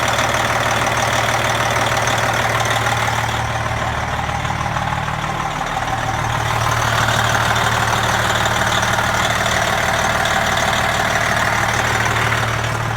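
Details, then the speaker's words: Brand-new 2017 Freightliner Coronado Glider with a factory-overhauled Detroit Series 60 12.7L DDEC IV diesel (500hp), idling after start-up: a steady, even, smooth low thrum with no knocks or misses, a normal healthy idle. "For those of you that are Detroit 12.7 fans, you'll recognize the sound, and we'll go through the interior and let you have a listen as well."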